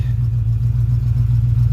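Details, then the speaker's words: Lifted 1985 Chevy Suburban that had sat for 4 years, first runs after revival: deep, smooth, steady idle rumble with even firing, no knocks or stumbles; initial tests good, oil pressure gauge shown working. "And it looks like it runs good so far. The initial tests are good."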